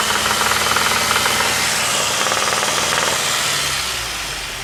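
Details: Saab 9-5 engine with a sharp regular knock about four times a second at 2000–2500 rpm in neutral and at 4500–5000 rpm while driving; spun bearings.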